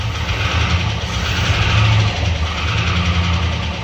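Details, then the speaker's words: Truck ('48 five-window) started after sitting for decades, run on fed fuel: engine catches and runs unevenly with lumpy pulses and surging, backfiring through the intake; owner suspects a valve problem, not a rod knock. Unconfirmed. "Or it backfires through the intake. That's always a good sign. You know what I mean? It's a valve problem."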